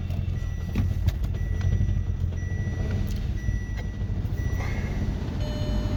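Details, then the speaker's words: 2006 Audi A3 2.0T petrol engine idling with an uneven, lumpy rumble, heavy shaking and stumbles; scan showed misfires on multiple cylinders; it smooths out after a while; valve cover gasket and spark plugs replaced. "I scanned this yesterday I had misfires on multiple cylinders you can hear it I was misfiring"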